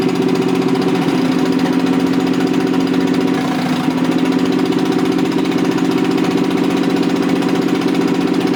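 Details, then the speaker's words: Rebuilt Toyota 7M-GE on a furniture dolly, valve seats dremeled: lumpy idle with an irregular pulse about three a second; pulling number three made no change though it sparks, suspected bad plug or no compression; dead cylinder, leaking exhaust valves. "i don't know if you'll notice when i pull number three it didn't change so some number three something's wrong with number three cylinder"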